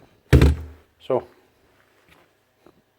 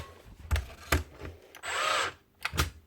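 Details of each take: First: Makita DBN600 nail gun after replacing broken micro switch: two sharp solid firing thumps a second apart, driving cleanly and working with no problem. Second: Makita DBN600 cordless nail gun from 2021, previously opened, before repair: clicks then a half-second motor whir that dies without firing; motor not retracting piston, gun won't start up or shoot.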